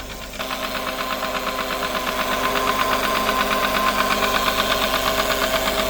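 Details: Smart ForFour leaking oil, idling with a clear, regular knocking about three beats a second over the engine hum; internal knock, engine worn out, new engine recommended.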